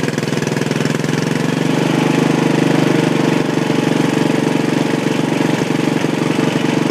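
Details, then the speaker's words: Old Sears Suburban tractor on home-built propane conversion, 5 lb tank: steady even single-cylinder chuff at fast idle after cold start, no knocks or misses; runs well, no noticeable power loss, slightly smoky. "And it runs good, runs real good. Don't really notice a loss in power at all."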